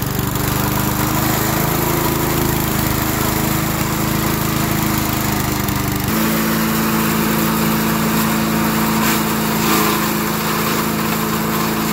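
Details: 1991 MTD 8 hp chipper-shredder, Tecumseh HM80 cast-iron-sleeve engine, after carb adjustment, at full throttle: loud steady single-cylinder drone holding pitch, then brief tone shift; normal running.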